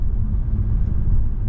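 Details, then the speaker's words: 2009 Mercedes E350 driven over a proper bump after fitting two new drop links. Only a low, smooth road rumble with no clunk or knock; the repair fixed it. "that's that's that's that's fixed it yes that's fixed it I'm like I say it's only a drop link"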